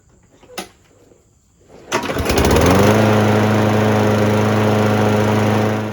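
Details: Craftsman lawnmower with Briggs and Stratton engine, after cleaning dirt from the carburetor bowl and jet that made it start then stall. Pull-start catches, revs up and settles into a smooth, steady hum with no surging or stalling: normal running.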